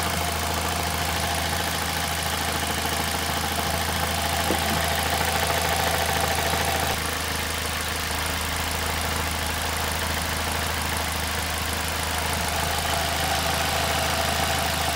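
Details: 2006 Ford Fiesta ST at idle, before repair: a faint constant metallic buzz rides on the engine beat as the exhaust manifold heat shield vibrates loose because of a broken bolt.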